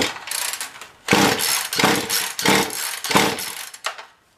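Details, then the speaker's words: Poulan Pro PP4218AV 42cc chainsaw with a new coil, primed and on choke: several sharp, ragged bursts about a second apart that die out each time; catches briefly but won't keep running, later found to have a cold-scored piston. "pressure is primed so hmm this sauce just not gonna work today"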